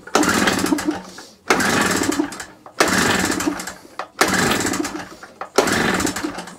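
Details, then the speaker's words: Small generator, carburetor just cleaned, on choke with old plug: five pull-cord attempts, engine coughs but never catches; plug not new and spark weak, causing no-start, plug to be replaced. "Okay, let's have the plug out. I'll put another plug in. The plug in there is not new. And the spark wasn't brilliant."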